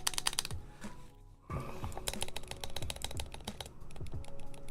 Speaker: That Osu like tapping. Let's go with that Osu tapping. Yeah, we're still getting a lot of ticking in there.